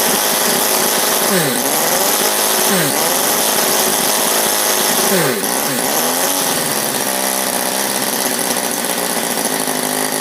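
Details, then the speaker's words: Sterling kit 32cc inline four-cylinder model engine with new bronze valve keepers, on rpm meter: shrill buzzy exhaust swoops with quick throttle blips then holds steady over 6,000 rpm, smoking less; normal high-rev running. "But as you can see, much improved RPM. We were getting over 6,000."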